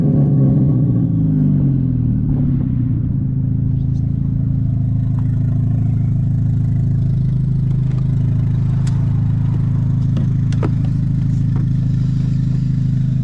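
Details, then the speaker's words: VW GTI after fixing random and all-four-cylinder misfires: deep, even engine roar held at high rpm under load with no stumbles or skips; pulls cleanly, misfire appears gone. "It didn't cause a misfire. It handled perfectly under load under high RPM. So, to my knowledge, the misfire is completely gone at this point."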